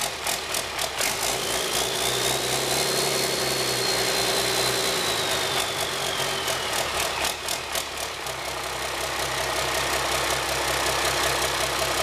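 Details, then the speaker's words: High-mileage (about a million km) 5.9 Cummins 12v diesel with P7100 P-pump, started after bleeding injector lines: steady idle with even clatter about four beats a second and light whine on top; normal diesel idle. "And that is what a half hour and a million kilometer engine sounds like. I can't believe that."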